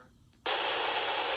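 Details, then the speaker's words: Baofeng UV-5R radio with squelch raised from 1 to 5: silence, then a sudden steady hiss opens up and holds. The static stops at 9. Squelch set too low. "Now, it is a squelch problem. So this is a squelch problem."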